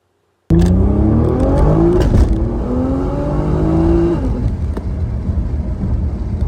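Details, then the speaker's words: Nissan R35 GT-R, GR6 dual-clutch transmission, 1-2 upshift commanded at 6,500 rpm: engine revs flare up on the delayed clutch crossover, then slam into second with a jolt; clutch later fixed with carbon seals and carbon clutch plates. "Remember, it's supposed to shift. It's got the command to shift at 6,500. Look at the RPMs and then listen to the engine flare up and then slam in the second gear on that crossover."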